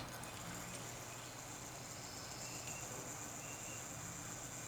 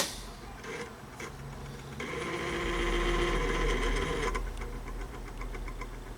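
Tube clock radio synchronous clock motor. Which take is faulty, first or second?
second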